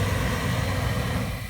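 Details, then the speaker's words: 1997 Chevy Astro with a hard-start problem, with the engine cover removed: it starts right up and settles into a steady low idle with no misses; a chafed distributor-cap-to-coil wire was found. "but when I take away that cover it starts right up"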